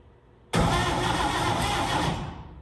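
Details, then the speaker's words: Vintage International Harvester truck sitting in the woods since 1997, no fuel hooked up: starter spins the engine at a quick, steady pace with even compression pulses, no binding; engine turns freely, healthy cranking. "it turns over nice so I just figured out I got to bolt that on"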